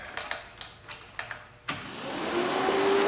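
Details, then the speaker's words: Polaris Sportsman radiator cooling fan hot-wired with a jumper across the plug, key on, during overheating repair: a few light clicks, then airy whoosh builds smoothly to steady even run; fan working normally. "all right you hear that Fan's working good to go"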